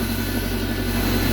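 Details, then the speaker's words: BMW K1100 motorcycle at smooth steady idle after fuel pump, fuel screen and filter replacement; holding pressure, no leaks; new pump much quieter than the old one, no whine standing out. "than the last one [Music] you can hear it but uh it's much quieter than the last pump"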